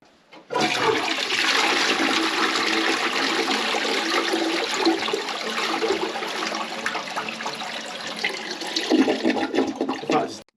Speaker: now you can hear that the toilet's gurgling it is Flushing away to a certain extent now what we think is this a partial blockage